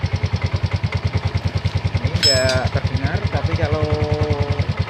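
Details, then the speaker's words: Yamaha Mio M3 scooter; a rough, pulsing growl of about three beats a second from the rear final drive, heard both when riding and when the wheel is spun; the rear bearing is suspected. "ini terdengar suara ngorok ya kalau diajak jalan dengan suara ngorok ya kemungkinan kalau problem ini bisa tiga pada lehernya yang kemungkinan besar adalah rap narasi belakangnya ya"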